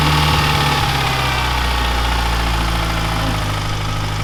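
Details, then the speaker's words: Neglected Mitsubishi Evo 9 at steady idle with a light, quick tick keeping pace with the engine; lifters still suspected, unconfirmed; car also has a badly slipping clutch. "I still think it's the lifters. It sounds like lifters to me."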